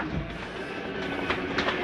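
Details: Jay Flight 267BHS travel trailer slide-out retracting: steady motor drone with light hum and mechanical rattle as the room runs in quickly, bottom shifting up first since the mechanism is underneath; end sound is the mechanism stopping it coming in too far. Normal slide-out retraction.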